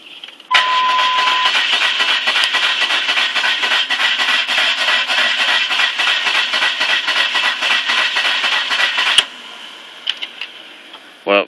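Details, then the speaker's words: Car that died while driving after the tank was filled to the max; owner suspects flooding or the fuel pump. Steady, fast cranking for about nine seconds that never catches: cranks but won't start. "If you can, let me know what you think it is, cause it's not turning over. It sounds like it wants to, but it's not turning over."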